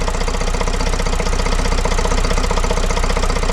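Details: Vauxhall Vivaro 2.0 diesel van first started after replacing and coding an injector, with the top breathers missing and adding noise. Steady idle with an even clatter at about four beats a second, no misfire or knock standing out, running fine.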